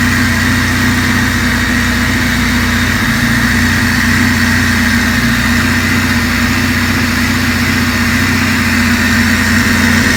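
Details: Honda Civic first start after machine-shop rebuilt cylinder head and valve lash adjustment: steady, even idle with smooth low hum and no knocks, ticks or misses; engine runs cleanly.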